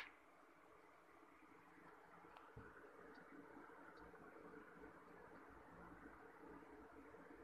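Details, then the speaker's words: Window AC after replacing its broken blower lock, which caused loud noise from inside: quiet steady fan whoosh and airflow hum, no knocking or rattle; blower runs smoothly, problem solved. "Friends आप देख सकते हैं हम लोग हमने इसे install कर दिया है या अच्छे तरीके से चल रहा है"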